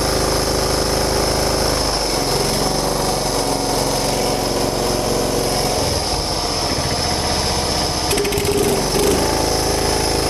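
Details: John Deere Hydro 175 mower, was not running, after the soaking-wet wrong spark plug (BR8ES) was replaced with the correct BR5ES. The small single-cylinder engine runs steady and even at a fast pace, with no misfire or stumble. Normal running.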